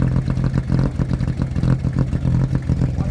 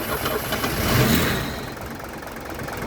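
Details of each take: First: Mercedes-Benz W123 250 long-wheelbase limousine, petrol, first start after 17 years parked: smooth, even idle with steady low hum, no ticks or misfires, quiet like a sewing machine; normal idle. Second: Mercedes W123 250 limousine, an ex-taxi parked 17 years: the engine catches, surges, then stumbles and won't hold idle. It seems to need a lot of fuel, with vacuum lines plugged; a fuel pressure regulator is suspected and it may not yet draw from the tank.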